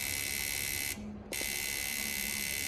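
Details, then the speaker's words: Rare 4-door Suzuki Swift saloon fuel injector on a pulse tester: high rapid buzzing for about a second, brief pause, then resumes; injector is firing, though it is unconfirmed whether it works properly. "Hopefully you can hear the injector going, so that's a good sign."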